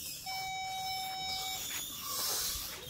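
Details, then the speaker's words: 2001 Ford Excursion in accessory mode and reverse after replacing all rear backup sensors: clear mid-pitched solid warning tone over a second at close range; parking sensor system working again. "put it in reverse notice that the off light now it turns on and off as you would see you get close to him he should hear it"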